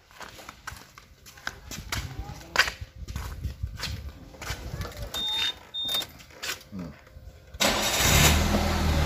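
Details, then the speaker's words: Suzuki Karimun kotak that gave no starter response, caused by a loose cable at the starter bendix. After reconnecting it, scattered knocks, then the starter spins steadily and the engine catches. Normal starter cranking. "starter sudah normal kembali dan ternyata hanya hal yang sepele tapi jangan disepelekan"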